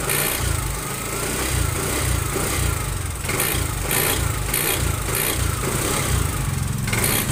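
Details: TVS Jupiter 125 BS6 scooter engine running with repeated sharp, high-pitched ticking bursts over the engine note; abnormal engine noise, cause not stated.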